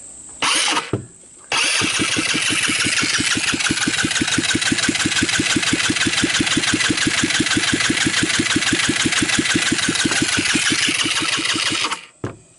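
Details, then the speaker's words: $122 eBay ATV 150cc GY6-type engine on a compression test: even, steady cranking at about three beats a second for ten seconds, no knocks or scrapes; gauge reads about 180 psi, probably closer to 150; normal cranking. "at the same time you'll be able to hear the motor turn around and won't hear if there are any any bad sounds"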